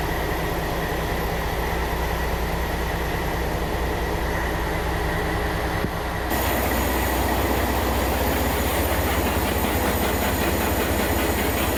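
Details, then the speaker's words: Ship M/V Steve Irwin main engine warm-through, two banks with two turbos: loud engine-room roar pulsing three to four times a second as turbocharger surges, charge air pressure imbalanced 0.6 versus 0.4 bar, imbalance visible even at idle. "So you can hear the surging and you can see the imbalance in the 4 and 1/2 turbo charge air pressure is 0.6 versus 0.4 bar."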